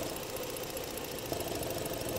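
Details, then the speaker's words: 2011 Ford Edge 3.5 Duratec V6 at idle with EVAP purge valve hose disconnected: fast even pumping suction at the open port that stops when thumb covers it; valve later found failing and replaced. "hear that noise that pumping sound put my thumb over it and then it stops"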